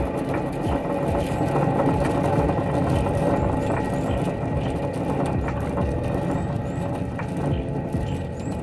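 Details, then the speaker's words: 2004 Lexus LX470 driver-side front wheel bearing, hub turned by hand with flange removed: steady rough growl plus whistling/howling, visible play; worn bearing, tie rod also done. "hear that you hear how it's growling first of all it's growling right and then plus the growling there's also the whistling and like howling noise"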